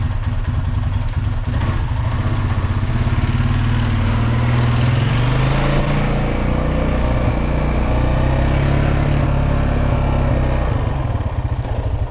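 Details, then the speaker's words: 2004 Honda Foreman Rubicon ATV after fixing the shifting fault and clearing codes: pulls steadily in reverse with smooth throttle changes and no pops or bangs; reverse now runs clean. "all right no more popping in reverse all right took it for about a 30 minute ride everything worked perfectly on it"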